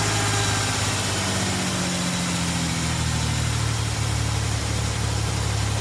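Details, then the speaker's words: 1995 Ford Ranger 4.0 after replacing a line cut by the power steering pump: steady, even idle with a smooth low hum and no misses or knocks; it stays running on its own for the first time in five to eight years. "It stays running on its own. First time in five to eight years that it's been able to do that on its own."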